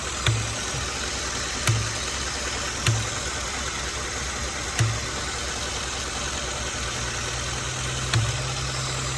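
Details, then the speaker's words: 2015 Ford F150 5.0 V8, about 60k miles, new spark plugs, idling steadily with short dull air-popping thumps at uneven intervals; no check engine light, PCV valve and hose already replaced, noise persists. "it just sounds like it's just slightly sucking in and and weird intervals just like because it's definitely coming from this or you know like inside this body isn't clicking or anything like that it just sounds like air is popping"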